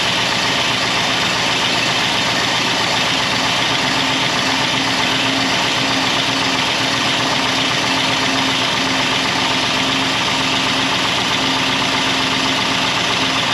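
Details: 1964 Buick Electra 225 V8, fire-damaged, running after revival: light quick tapping about four a second over steady idle despite really good oil pressure; top-end tick, cause not yet found.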